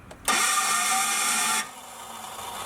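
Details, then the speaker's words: 12-valve Cummins that broke down on the road and sat about four weeks, recorded with the camera out the window: a high, even whir of about 1.5 seconds with no engine turning; the starter seemingly not engaging the flywheel, suspected. "it broke down on me going down down the road and it seems to be the starter in the flywheel not not engaging so we're gonna show you guys what it sounds like it sounds ridiculously bad it sounds crazy"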